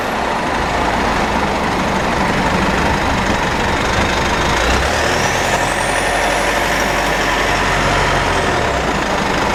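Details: Mitsubishi with 4N15 diesel and V6AWH transmission, about 6,110 km: high thin whine rising and falling with road speed over road and engine noise; dealer repeatedly failed to fix it, owner later found overfilled rear differential, burnt front differential oil, ATF about 1 L short.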